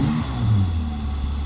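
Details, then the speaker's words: Holden Commodore V6 Ecotec after fitting new exhaust: deep even rumble as it revs and settles, no big backfires when backing off the accelerator; healthy exhaust note. "A lot better and no big backfires when you're back off the uh accelerator either"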